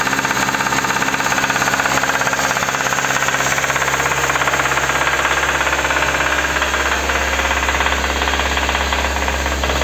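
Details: Kia K5: sharp, regular metallic knocking about three times a second over the idle, deep in the bottom end; connecting rod knock, fixed by replacing rod bearings from below without engine teardown.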